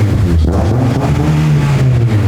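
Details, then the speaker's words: $500 Honda Civic build after swapping straight pipe for a new exhaust: deep steady exhaust drone rising smoothly with revs, no rattles or popping; much tamer, healthy normal revving. "So we threw on an exhaust and it's time to hear what it sounds like. Jimbo, fire this pig up. Fire it up. Oh, yeah. Much tamer, I like that."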